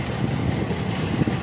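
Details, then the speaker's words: GMC with P0305 misfire code, idling: steady low idle with uneven lumpy beat as one cylinder drops out; spark plug or coil suspected, not yet confirmed. "यानी इसका ये cylinder कम नहीं कर रहा इसके लिए plug का मसाला है"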